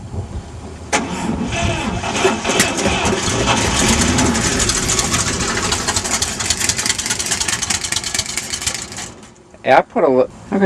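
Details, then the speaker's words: 1954 Chevrolet Bel Air test start after points replacement, running only on gas poured into carburetor; long steady cranking with weak catches that never pick up; fuel pump replacement planned next. Cranks but will not start. "going to spray in some ether and try to start it up again."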